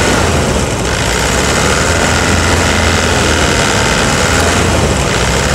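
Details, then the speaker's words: 2009 Toyota Hilux diesel at idle after repair: new tips (element) fitted on all four injectors, replacing the stuck one. Steady, even rumble with a clean, regular clatter and no sharp knock; normal idle. "e agora aquele time travado o bico fora agora tá com as ponteiras dos bicos novas"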